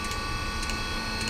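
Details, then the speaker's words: Almost 40-year-old Eberspacher D3L diesel air heater on the bench, sensor bridged, glow plug disconnected: sharp relay clicks about every half second over a steady fan whir as the glow plug relay cycles at startup. "okay so now the fan is starting we can hear now the glow plug relay"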